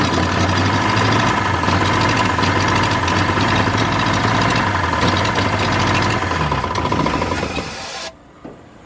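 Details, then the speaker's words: New flathead V8 in a 1953 Ford project truck, first start after re-timing with number 1 verified at top: steady, slightly lumpy idle with an even low beat, then shuts off; runs properly, no coolant hooked up. "Call that running."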